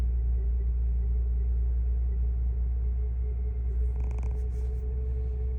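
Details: 2005 Lexus GS: steady mid-pitched whine over a low idle rumble from a bad alternator.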